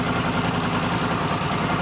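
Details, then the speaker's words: 1979 Honda CX500 twin after rebuild, restarted after months standing outside: steady, even low burble at idle with no ticking or timing-chain slap (a known fault on these), now running alright; normal idle. "But yeah, this is running alright now. Should take it out for a spin, give it a good wash."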